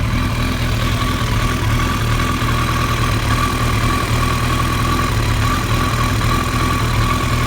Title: Rough Idle